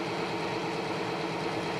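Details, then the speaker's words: Oil additive test rig with BestLine added, at about 184° and with load rising from 15 up to 40 ft-lb. A low, steady hum holds even under load, much quieter than without the additive, with no squeal, grabbing or seizing. "There's 15. There's 20. So much quieter."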